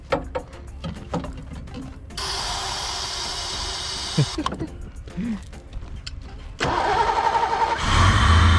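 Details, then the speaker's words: 1986 Mustang GT 5.0 five-speed, sat 20 years: cranking catches a few times with stumbles, then fires and settles into a rough but steady idle as more fuel is given. "There she goes. There she goes. Just cranked her up. Fuel. More fuel. I wasn't giving her enough there, guys."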